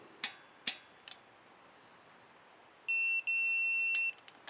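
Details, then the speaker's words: 1987 Porsche 911 Carrera engine teardown, checking cylinder head nuts with a torque wrench set to 21: a few faint clicks, then a high-pitched beep held about a second. The wrench reached its set torque and the nut didn't turn, so the head was not loose. "so my torque wrench is set to 21 and if any of these turn then we know they are loose"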